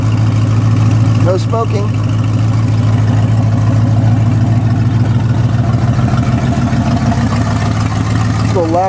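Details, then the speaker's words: 1969 Ford F100, believed 302 V8, C4 automatic, idling: loud blatty idle with a coarse rumble and uneven puffing; exhaust leak, passenger-side pipe cut or rusted off, mufflers need replacing. "little loud because of the exhaust leak. You know, it sounds pretty cool with some new mufflers on there."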